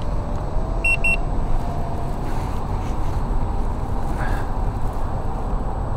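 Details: Veteran Sherman electric unicycle in a full-range test, climbing an incline slowly near empty at about 76 V with tilt-back active; a short double beep over road and wind noise, likely a low-battery warning.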